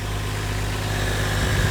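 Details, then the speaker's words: Toyota Chaser, automatic, with 1J straight-six, fairly stock with a possible old boost controller; smooth even low idle with faint steady belt hum, no knocks or misses. Idling great, belts great, healthy; normal idle. "I mean, it's idling great. Belts are great. I mean, it seems healthy."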